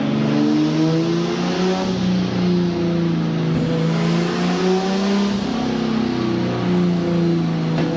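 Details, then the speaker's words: Rebuilt turbo engine on a budget build, aiming for 420 hp, running on the dyno rollers under load on an old tune not made for this turbo or engine; crisp, high-compression note climbing steadily with no misses, knocks or rattles — healthy revving under load. "so the engine sounds really really crispy that high compression like"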